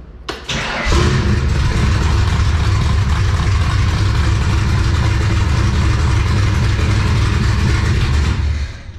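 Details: 1966 Shelby Cobra kit car with small-block V8, after 2–3 years stored in a shipping container, distributor cleaned and oil pressure built: brief crank, quick catch, then a steady, even rumble recorded inside the container; healthy start.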